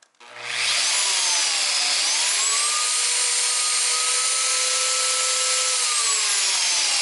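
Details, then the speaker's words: Flex rotary polisher running at full rpm resting on a table: smooth, steady high whine with slight pitch drift and no vibration transmitted to the table, healthy running. "that's full rpm and there's like no vibration being transmitted into the table its resting on"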